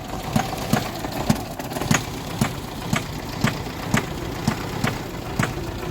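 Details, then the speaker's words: Tofaş Şahin, engine rebuilt 12 months and 3,500 km ago, push-started after being stuck in mud: regular metallic clack about twice a second over a rough idle; owner fears engine damage. "ama çalıştı nasıl çalıştı bir ses var arabada böyle çak çuk çak çuk çak çuk çak çuk falan Demir demire vuru ulan dedim motor mu yedi araba yani dedim"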